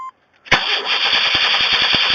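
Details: 1994 Chevy Astro, throttle-body injection, after Seafoam, engine recently run: starter spins steadily with about four dull thumps a second but never catches; intermittently dies and won't restart.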